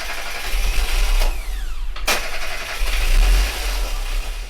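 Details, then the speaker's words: Austin Metro under restoration, engine just serviced: short crank, clean catch, crisp rev and even settle with no belt squeal or other noise; starts healthy. "absolutely starts perfectly now doesn't make any noise in fact"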